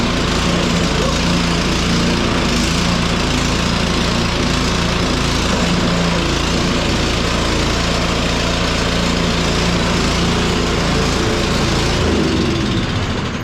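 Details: Cub Cadet 1X snow blower that would not start after storage with undrained gas, now running on fresh gasoline; small single-cylinder engine running steady and even with a smooth unbroken exhaust note, no surging or hunting; normal running.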